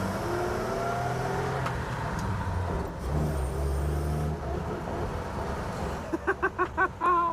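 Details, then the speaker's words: 1950 Chevy truck "Stinkbug" on a drive around the block, running a Chinese carburetor that runs pretty good: pulls cleanly, revs rising smoothly without misses, stumbles or popping; brakes still have air; normal running under acceleration. "You know, it actually runs pretty good for having a Chinese carburetor."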